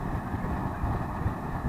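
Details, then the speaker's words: Atwood RV furnace after removal, cleaning, disassembly and lubrication of the blower motor: a smooth even blower hum with steady airflow at about 200 degrees, and no squeal. "Pull it away, and we're like 200 degrees. Absolutely no squeal."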